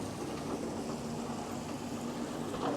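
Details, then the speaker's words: Flex CNC rigid tapping a cart-top fixture plate at low rpm with flood coolant, after a controller fix to the tapping cycle; even coolant wash over a steady spindle hum, no chatter, squeal or snap, a healthy cut. "rig tapping is always I think it's probably the same for everybody unless unless you're a seasoned CNC machinist you get used to it but you're always wondering is it going to line up is it going to snap off in there I think we're doing good"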